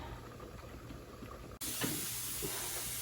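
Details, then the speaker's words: All-American weighted-gauge pressure canner with potatoes, venting before the 10-pound weight goes on after 10 minutes: quiet at first, then a sudden loud, steady steam hiss. Normal steam venting. "Now we just have to wait till the steam comes pounding out of that guy, and then the weight goes on."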